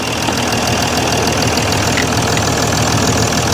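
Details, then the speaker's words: Mercedes ML350 with a rebuilt replacement engine, just after first start: steady even idle with a light regular clatter, no misses or knocks; healthy, slight squeak from somewhere. "Just listen to it. It sounds great. There's a bit of a squeak from somewhere."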